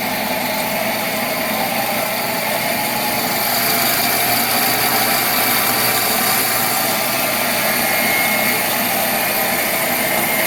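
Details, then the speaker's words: Monarch 10EE 30-inch lathe, first run after about 20 years idle: steady even spindle whir with a faint high hum, plus clicking of contactors dumping power into braking resistors; sounds healthy. "okay the clicking that you hear of course is the uh those uh contactors that are dumping the um power into those uh big resistors that slow it down so anyway that sounds pretty good"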